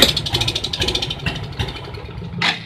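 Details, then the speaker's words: Suzuki Smash motorcycle idling rough, then sputtering and dying at half and full throttle; the mechanic suspects weak ignition spark failing to burn the incoming fuel; a new battery is later advised over replacing the CDI. "gas full dia mati total. Oke, permasalahannya kira-kira ada di mana? Kalau feeling saya, permasalahannya ada pada pengapiannya."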